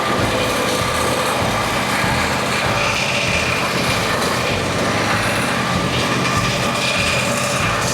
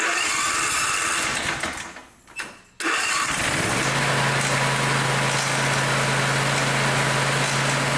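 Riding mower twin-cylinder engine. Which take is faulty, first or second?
second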